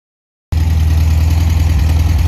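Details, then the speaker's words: Restored 1973 VW Super Beetle flat-four idling: smooth, even low thrum, steady beat with no knocks or misfires; healthy normal idle. "He's very happy with the car. She sounds good. She really does."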